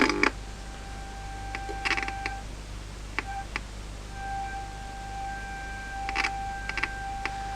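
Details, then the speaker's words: 1951 Telefunken A-1266 "Colombo" superheterodyne tube radio, repaired power supply (electrolytics, AZ41 rectifier and socket); ~470 kHz IF signal injected via antenna gives steady mid-pitched whistle with small clicks as adjusted: normal IF response to test signal. "le voy a meter la frecuencia intermedia y la frecuencia intermedia que le estoy metiendo por antena es alrededor de los 470 k es cuando más pitido da la radio"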